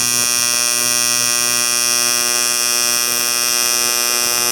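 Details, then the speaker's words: Arccaptain 200A AC/DC TIG welder, AC TIG on aluminum with blunted tungsten after adjusting AC frequency; steady high buzzing tone, no sputter or popping, focused heat; clean stable AC arc. "Much more what I'm used to, because you're really able to pinpoint the heat."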